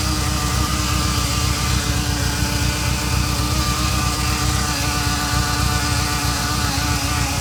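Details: Ferrari Mondial 3.2 V8 at idle: a constant mid-pitched buzz that starts about 15 seconds after a cold start, as oil pressure rises, and fades once warm. It is loudest by stethoscope on the braided oil hoses to the fan; cause unconfirmed.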